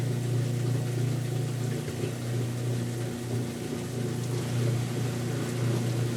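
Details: Kenmore washer, sat about six months and stopped halfway through wash cycle, broken lid switch bypassed: steady low drain-pump hum with constant pitch and watery churn, even and uninterrupted; now pumping out normally.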